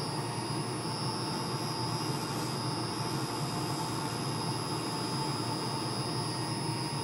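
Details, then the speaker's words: Wood lathe turning a pen blank: steady high-pitched squeal over the lathe's running hum; owner believes the live center bearings are going out and need replacing. "I apologize for the squealing noise you're hearing in the background I believe that the bearings are going out in my live Center so we're gonna have to replace that soon"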